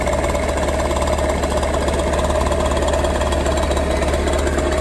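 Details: Warmed-up two-stroke scooter idling smoothly and evenly during carburettor idle-speed and mixture adjustment: a fast steady buzz with no misses or surging.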